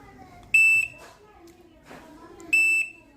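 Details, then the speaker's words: LG double-door inverter refrigerator control board after SMPS short repair: pressing the test button gives two short high buzzer beeps about two seconds apart, then the compressor starts and runs properly; normal test-mode response. "இந்த testing button நீங்கள் அமுத்தினோடனே buzzer sound 2 time வந்துட்டு compressor on ஆகிடும்."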